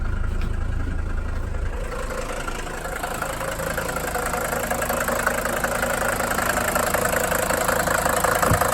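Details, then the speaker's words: Mercedes 300D five-cylinder diesel, salvage buy, first start after an idle adjustment: even diesel clatter at a steady idle with no misfire or hunting; normal and healthy. "see it does have to hire title adjust here so there we go sounding good now"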